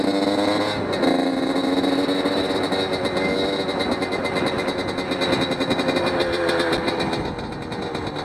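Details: Motorcycle on its first ride after a rebuild, still being broken in: steady, crisp exhaust pulling cleanly on and off throttle, no knocks or rattles. The rider says it is snappier, slightly quieter and meaner, and pulls well.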